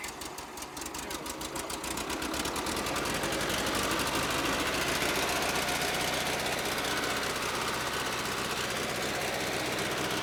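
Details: Bobcat 610 skid steer, Wisconsin four-cylinder gas engine, seller says starts every time with no leaks: steady fast idle, even beat around four per second, no stray knocks.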